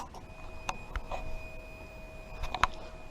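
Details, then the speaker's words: Lexmoto motorcycle that had starting and idling issues, heard with the ignition on, the engine not turning and a diagnostic scanner connected. The fuel pump gives a faint, steady hum behind a few clicks, which is a normal prime. "Now that I've got it plugged in, you see it's got one light, and what I need to do is turn the ignition on. You hear the fuel pump"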